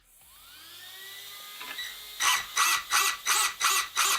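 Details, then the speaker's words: Cat L1 Evo RC buggy after tightening a too-loose slipper nut, slipper warmed by repeated punches; motor whine climbs smoothly, then six sharp even full-throttle bursts with no slipping howl, front just on the edge of lifting; correctly set slipper clutch. "So my Cat L1 Evo is just on the edge of lifting the front wheels. So the suspension works in the front, it lifts it, but doesn't lift up the wheels, especially when the slipper is quite warm, and that's how it will be during your run."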